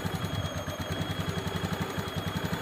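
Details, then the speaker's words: Honda Beat ESP injection scooter: idle starts high, then settles too low with a soft, uneven putter and some clatter; idle screw gives no response when turned. Mechanic suspects the ACV (idle air control valve). Earlier misfire was fixed with a new spark plug. "kalau pertama mau tinggi tapi kan begitu ideal ini kurang tinggi sebenarnya harusnya lebih tinggi dari ini"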